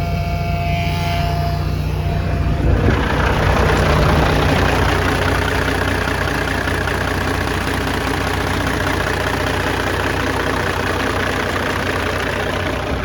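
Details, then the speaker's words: CAT C15 truck diesel test run after internal injector wiring harness replacement for an idle shake and miss, valve covers off: deep, steady idle with an even low throb, smooth, no misses or knocks; normal idle. "it's actually running really smooth right now I mean you can barely hear it over the low air buzzer"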